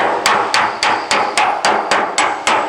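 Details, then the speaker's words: Roughing out aluminum panel dent, hammer on dolly: sharp ringing blows about three per second with solid backed ring; dolly correctly under the strike, compression stretching slightly swelling the panel. "you hear that dolly on, that's what you want. That's doing a little bit of compression stretching, which will cause a little bit of stretching and swelling of the panel."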